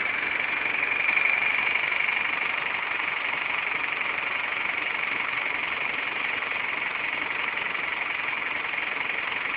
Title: Стук в двигателе.avi